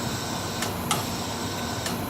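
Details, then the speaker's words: MBraun MB-200MOD glove box in automatic mode: pressure regulation valve pulsing to hold box pressure between +1 and -1, two pairs of crisp valve clicks over steady fan hiss while antechamber refills toward 1 bar; normal. "And again, you hear that pulse, and that's because it's, the glove box needs to maintain that pressure of between 1 and minus 1."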